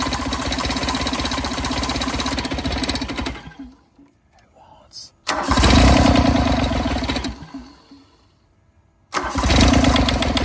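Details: 1986 John Deere 330 diesel garden tractor recovered from the woods, first start attempt with fuel bled, glow plugs out and throttle low; three rough, chugging cranking bursts at a couple of beats a second as the diesel fires and picks up.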